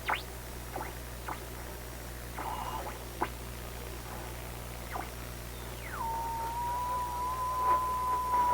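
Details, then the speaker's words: Recently restored 1934 Atwater Kent 944 tube radio on checkout, dial near 1500 kc: over low hum and faint ticks, a whistle sweeps down and settles into a steady high squeal on the station. Heterodyne on every incoming signal; alignment suspected, not confirmed. "terrible heterodyne on every incoming signal."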